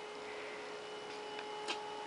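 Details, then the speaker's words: 9-watt circulation pump in a cold-climate direct solar hot water system with night recirculation, pumping over 1 gallon per minute at 2:30 pm, tank bottom 139, collector 50; faint steady constant-pitch hum, no rattles or surging: running normally. "you can hear that it's still running uh it's getting to be 2:30 in the afternoon we've got a 9 watt pump from tops flow you can probably hear it"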